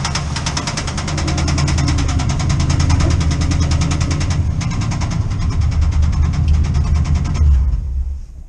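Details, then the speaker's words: Chevrolet C10 with 307 V8 that usually smokes at startup: heavy, fast metallic hammering over a rough idle until shutdown. Number eight piston is hitting the cylinder head, seen by borescope; apparently present for a while. "anyway as you can hear there she's not very happy um apparently it's had this for a while"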